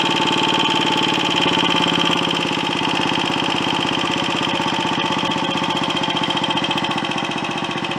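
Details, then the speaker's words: Royal Enfield Olympic 250 unit single: thumping idle with revs hanging, sagging slowly and unevenly, then stalling; fuelling suspected. "I'll start it up again the engine and take an age two down steady speed and then it'll stop"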